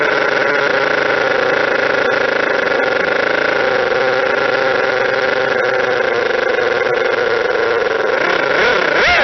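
Smooth, steady whirring buzz with no gear chatter or rattle, rising briefly in pitch at the end; it runs quietly and evenly.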